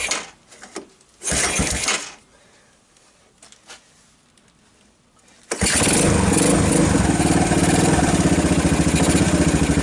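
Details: 1990 Kawasaki Bayou 220 junkyard ATV, cold start after carb replaced and recoil starter rebuilt, good compression, jump pack on, choke on: two short cranking bursts, pause, then catches and settles into steady idle; charging the battery, a little smoke.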